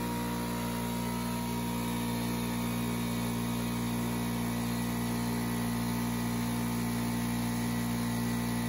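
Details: Craftsman 919.165200 5hp oil-free air compressor after capacitor replacement and correcting 220V cord wiring: even motor drone with quick steady pulse about four beats a second, no rattles or stalling; runs healthy.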